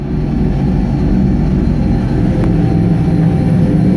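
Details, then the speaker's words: 1999 Nissan Frontier turbo on an aftermarket ECU, which once broke up around 1400 rpm from crank/cam signal errors, fixed by setting trigger and home filters to 0: a deep, continuous roar past the old limit without cutting out; the engine revs freely and pulls cleanly. "That is freaking awesome. I don't know if you were able to hear the turbo on that, but again."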